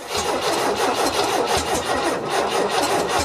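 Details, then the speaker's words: 1974 MGB freshly rebuilt engine, first start with choke on, coolant low; catches and sputters with sharp irregular pops, backfiring out the intake and exhaust; owner suspects flooding from earlier cranking without spark, or wrong timing. "oh boy i don't really like that noise can't tell if that's coming out the exhaust or at the front all right i'm going to pull this intake off i can see it's back firing out the intake could be an exhaust leak"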